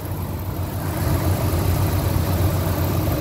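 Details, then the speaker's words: 1999 Ford F150, 5.4 V8 (not the three-valve type), about 99,845 miles, being retired over bad rust; deep, steady V8 rumble at even idle, no misses or knocks; running good, normal running. "you can hear it's running good but this is a good motor everybody talks crap about 54s but these ones aren't the bad ones"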